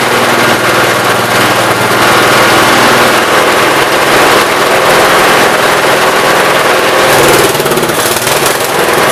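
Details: 1969 Gravely 432 after the carb main jet, out too far, was leaned and the carb cleaned. Loud, busy single-cylinder clatter at a fairly steady speed with no popping or banging, running well.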